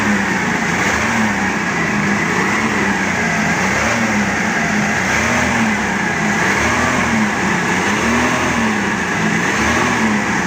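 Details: Forklift engine after all four spark plugs were replaced to cure a misfire, now a loud continuous idle with a smooth even beat, no stumbles or misses; all four cylinders firing.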